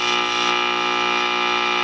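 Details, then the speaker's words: Firestone All American 5-tube radio during cleanup: a steady, harsh buzz with a rich stack of overtones. Owner suspects the buzz is being picked up from the variac into the antenna; the across-the-line cap appears to have been removed. Not confirmed. "I wonder if that buzz is being picked up from the varak into the antenna"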